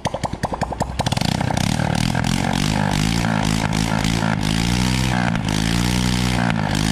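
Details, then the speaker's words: Honda Wave motorcycle after repairing loss of compression from a broken rocker arm by grinding and polishing the camshaft: a few cranking pops, then it catches into an even, smooth idle with clean revs. Engine runs healthy after repair. "nghe thì chưa tiếng nổ rất êm"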